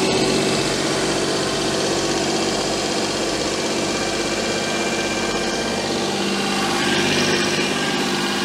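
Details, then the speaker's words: Daihatsu Charade after an engine swap with a replaced inlet manifold and the air filter not properly fitted: fast steady idle with a faint sucking hiss. The owner suspects an air leak at the manifold gasket, since none was fitted. "that sounds a bit sucky something in to me now it's definitely idling high okay something is wrong I need to find it"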